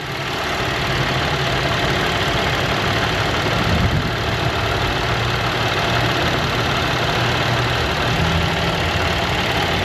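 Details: 1970 Chevy C10 running rough: uneven, lumpy idle with a loping low rumble and a faint irregular tap in the background; rough idle, cause not yet pinned down.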